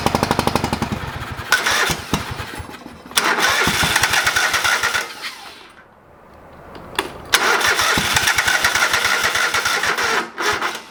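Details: Old lawn mower being revived, first start after carburetor rebuilt, with the bowl needing to fill with fuel: repeated cranking bursts with pauses, struggling before it catches and runs; fired, but not right up, so hard starting.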